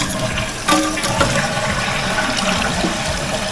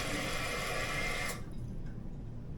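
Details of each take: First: Toilet after new fill tube installed and water level adjusted: full rushing flush, then quiet steady refill trickle with no hiss; valve shuts off properly, leak fixed. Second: Toilet two weeks after a gasket replacement: steady rushing water hiss that cuts off abruptly; leak has returned, worn fill valve letting water through, to be replaced with a Fluidmaster 400 fill valve.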